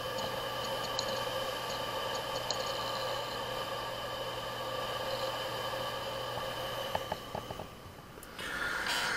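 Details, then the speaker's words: Hard drive that arrived by post, intended for a head swap, spinning while connected: faint irregular ticks and clicks over a low electrical hum. The read/write heads are failed, the drive shut itself off, and it is deemed dead; shipping damage is suspected. "как я и говорил винт просто сдох"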